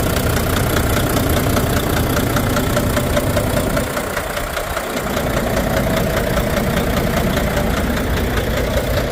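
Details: Volvo D13 diesel idling with an uneven, knocking beat and low power, from damaged fuel injectors; the removed injectors (cylinders 5 and 6) were found badly worn. Finding: diesel engine misfire from worn fuel injectors.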